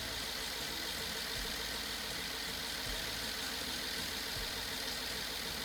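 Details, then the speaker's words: BMW F10 550i N63 after rebuild and cylinder wall repair following hydrolock, first startup: steady, even idle with smooth hum, no misfire, no knock, no smoke while warming toward thermostat opening; normal idle. "The engine's running, it's not misfiring, it doesn't make any noises, no knocking noise, and look at this."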